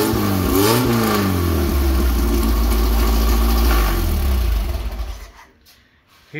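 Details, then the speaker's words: Engine with tri-power setup, all three carbs running together, after fitting a homemade Chevy HEI ignition with improvised plug wire connections: V8 blips up and settles cleanly with a crisp, even exhaust beat, running smooth; the ignition fixed most problems, though tuning still needs tweaking. "how much nicer and clearer it is that ignition took care of just about all my problems"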